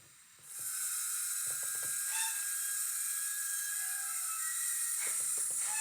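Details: Hornby Hogwarts Castle (Hogwarts Express) model locomotive, older non-DCC-ready, hard-wired Zimo decoder with YouChoos Hall class sounds, sound off: motor spins up to a fine, steady high whir with a light hiss, no stutter; normal run.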